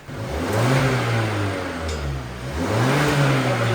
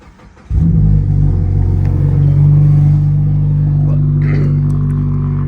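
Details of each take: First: Mazda after the exhaust section was tack-welded back together and sealed, started to check for leaks. Smooth rising and falling revs with no puffing or ticking leak; it sounds stock: normal, sealed exhaust. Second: Lowered Mazda with 65,000 miles, cold start after the resonator or possible secondary cat was chopped off the exhaust. It catches quickly and settles into a loud, deep, droning, boomy cold idle: loud exhaust from the missing resonator.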